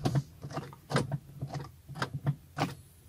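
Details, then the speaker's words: VW Passat CC rear camera flap, after repair of fuse S51 and a broken wiring harness: a few short whirring motor pulses with light clicks as the flap swings out, with the actuator moving freely. Normal flap operation. "La trappe là, on l'entend sortir."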